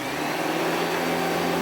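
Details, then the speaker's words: Hitachi Powerhouse CV-460D 600 W upright vacuum, first run: smooth, steady mid-pitched motor whir with no rattles, scraping or speed wobble; normal running. "it's got that beautiful Hitachi whir to it. Lovely white machine."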